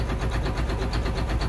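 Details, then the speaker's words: John Deere 9530 with 13.5L diesel, fuel pressure fault code, pressure sensor reading about 20 psi off: lumpy, uneven pulses at about 990 rpm idle; rough idle that smooths out above 1350 rpm when pilot injection stops. "So here's this rough run. I don't know how good the camera's picking that up, but there you can really hear it."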